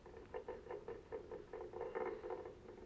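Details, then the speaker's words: Three-phase electric motor bought on eBay, star wired, coasting after a hand spin: rough pulsing rumble about five times a second; bearings shot, owner suspects mainly the rear bearing, both to come out to see which needs replacing. "when it came it didn't sound so bad on the bearings but then I spun it around a bit and now it sounds like this not great"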